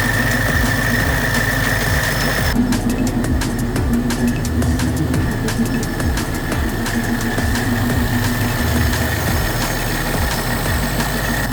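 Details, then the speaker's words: Supercharged Mustang, tune still being dialed in, AFRs around 14, EVAP sensor removed: loud, fast cold idle, steady even rumble, no knocking, ticking or misfire; normal cold start idle. "quite a loud cold start but as you guys can see she is running everything sounds good everything looks good"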